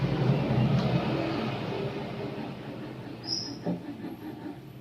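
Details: Coconut grater electric motor after repair: it previously would not turn and only vibrated and hummed. Fan reassembled with spacing and shaft lubricated. On test it spins freely without hand help, with a steady low hum and light flutter, running normally.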